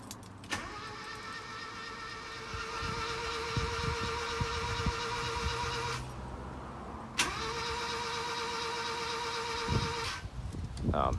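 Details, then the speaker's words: 1986 Ford Courier with refurbished engine (previously over 1.3 million km, leaking) just installed, spark plugs out to circulate fluids: two bursts of fast, even cranking with steady starter whine, no knocks; healthy spin. "very happy with that. Right. So, that crank was good."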